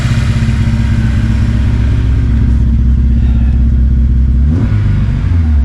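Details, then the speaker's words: 2006 Honda S2000 AP2 4-cylinder at idle: loud, uneven stumbling beat, about four pulses a second landing unevenly; still misfiring, owner suspects an injector, ruled out bent or burnt valve. "Little better, but still got that miss. You can hear it. Damn it."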